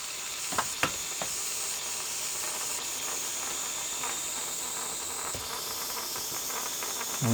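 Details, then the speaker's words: Model steam loco just converted from SM32 to 45mm gauge, in gear while getting up steam: steady loud hiss with a few spits and sputters, no chuffing; steam blowing through without driving the pistons, cause unknown. "put it into gear and now nothing's happening there yet shut that for a minute [Music] I'm very surprised nothing's happening but it's not just going to blow this off even more here"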